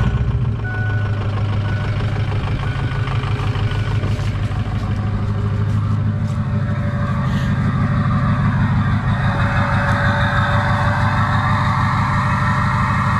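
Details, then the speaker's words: Ford 6.0 Powerstroke diesel after fixing a no-start (debris in the IPR valve screen cleaned, loose plug fixed): deep, steady idle with even low rumble about three beats a second, no misses or knocks; running flawlessly. "yeah there you have it now now it's running flawlessly"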